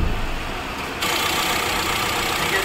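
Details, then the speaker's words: Tata Safari (new version) diesel, complaint of a loud noise from the engine front after starting: started for a check, it idles smooth and silent with no whine or rattle, pointing to the alternator as the noise source. "देख friend हमने गाड़ी चालू किया है देखिए हमारा गाड़ी एकदम साइलेंट"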